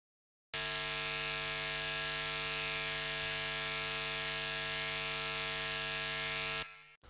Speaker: звукоснимателей гитарный звукосниматель и темброблок гитары тоже являются источниками фон а точнее они улавливают наводки эти наводки носят непостоянный характер